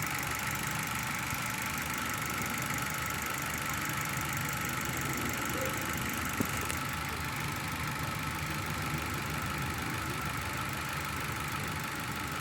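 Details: Engine with unstable idle and misfire: uneven, loping idle with occasional stumble. A badly sealing exhaust valve leaks pressure, showing a high exhaust-manifold signal. Planned fix is removing the cylinder head for inspection and valve-seat reconditioning.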